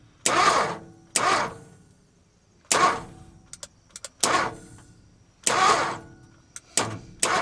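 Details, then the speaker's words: 1955 Ford F250 cranked while checking compression: intermittent cranking bursts with uneven, weak strokes and no catch; one cylinder has low compression, previously zero. "See, I think it's coming up. No, it's heading down. Missed it. It's got low compression on that cylinder."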